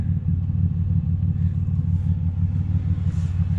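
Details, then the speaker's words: Chevrolet Impala after an exhaust repair, idle with light revs, heard outside and then inside: a deep, even low rumble with no rasp, blowing or ticking; much quieter than before, exhaust sealed. "we'll head inside and see what it sounds like from the interior so big difference from before you can hardly even hear it"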